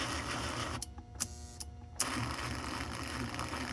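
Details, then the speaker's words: 1955-57 American Flyer 372 Union Pacific GP7 locomotive, motor not yet cleaned or lubricated, reverse unit now flipping each time: small electric motor whirs steadily, brief pause and clicks as it reverses; runs in both directions. "It is definitely definitely going to need some cleaning and some lubrication and I don't know what else. But it does go both directions now."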